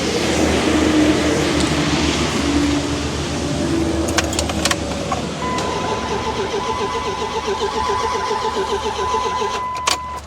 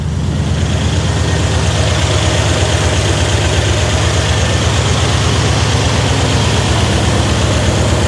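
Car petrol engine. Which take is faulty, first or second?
first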